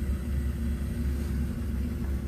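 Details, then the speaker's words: Newly replaced Taco 007-F5 circulator pump on a snowmelt system, powered through an SR 506 switching relay zone 5: steady, even low hum with constant pitch, no rattle, grinding or surging; runs normally. "i'm sure you can hear that i don't know if you can but i can because it's running it's running baby"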